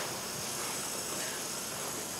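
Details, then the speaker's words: 2017 Honda Pilot with the 3.5 Earth Dreams GDI engine, hot and not running, during fuel injector replacement: a steady, even hiss as a high-pressure fuel line fitting at the high-pressure pump is cracked loose to bleed off fuel pressure, as expected. "so i just cracked it loose i can hear it hissing so it's hissing and ppin down there"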